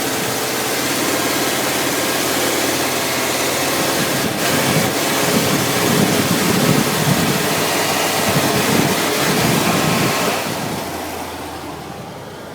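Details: 1994 Ford E-150 351 V8 van revs up roughly with uneven surging, bucking and stumbling, worse under heavy load and with A/C on, runs warm; cap, rotor, PCM, ignition module, plugs, wires replaced; cracked vacuum/fuel vapor hose found; air-fuel-spark issue suspected, cause unconfirmed.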